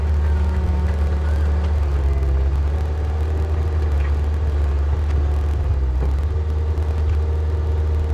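Deep, even diesel rumble holds steady while digging, with no knocks or misses; the engine is pulling cleanly and sounds healthy.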